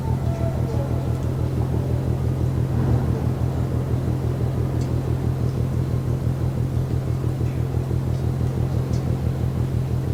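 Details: Ship MAERSK TAIKUNG at Port of Genoa Pra', 1 a.m., recorded from over 1 km away: distant deep pounding about twice a second over a low steady rumble like slow drumbeats; rhythmic banging, source not identified.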